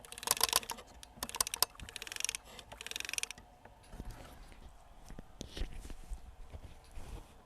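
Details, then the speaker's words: Nakamichi MB-3s CD changer, powered off and opened, microphone set down close by: the laser-sled drive gear is turned by hand, giving sharp dry clicks and pops as its cracked teeth bind and jump. This gear causes the skipping a few seconds into playback. "And I'll turn this gear and you can hear it. That's basically it powering through it."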